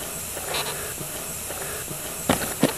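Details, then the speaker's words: Pressurized boost leak test on a turbo engine with soapy water spraying. A continuous soft air hiss with handling knocks; the injector seals are leaking badly while the intake manifold gasket shows no leak. "also you could spray down the intake manifold gasket and see if you have any leaks on that and I don't but those injector seals are pretty bad"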